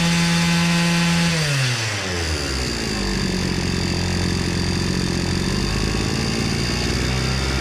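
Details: Hyundai petrol brush cutter after repair, having bogged at low rpm with a fuel-soaked clogged air filter: revs hold high and steady, then fall smoothly to an even clean idle with no stumbling; engine sounds healthy.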